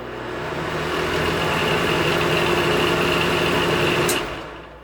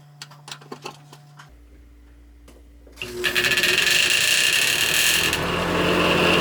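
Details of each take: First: Noisy bathroom vent fan after cleaning, repair and reassembly: a steady, even hum with a soft whir and no rattle or buzz before winding down. The fan no longer rubs on the housing. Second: Bathroom exhaust vent fan after cleaning: spins up with rapid steady ticking rub and thin hiss over the whir; blade strikes plastic tabs on the motor, worn grooves visible in each tab. Fan blade rubbing on motor housing.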